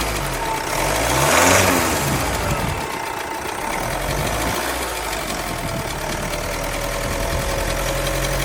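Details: 2016 Vauxhall Insignia B20DTH diesel idling with a light, fairly regular rattle about three beats a second; timing chain noise suspected, not confirmed.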